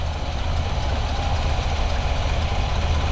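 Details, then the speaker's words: Square-body V8 parked nearly 20 years: it cranks at about four pulses a second but never catches, with no fuel coming up. The fuel pump may be on the wrong hose. "you fuel coming up there no nope got no [Music] fuel nope no"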